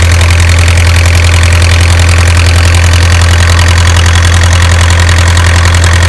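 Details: Isuzu 4BA1 85 hp diesel coupled directly to a 5-inch single-impeller pump irrigating a 20-rai durian orchard, pushing water about 800 m uphill; loud, deep, perfectly steady drone, regular beat, no hunting; normal healthy running under load.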